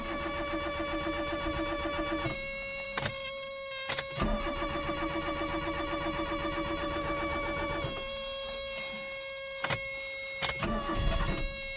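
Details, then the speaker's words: Barn-find Proton, started on a jump pack: long steady cranking with even starter whir and pauses between attempts before it catches; long crank before start. "it lives it lives amazing and as you heard then miraculously the car started uh with that jump pack on"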